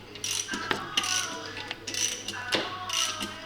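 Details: Cam phaser removed from a 2002 Audi S6 C5 4.2 V8 (ANK), rotated by hand on the bench: irregular sharp metallic clicks and ratcheting; owner had complained of noise; worn, noisy cam phaser.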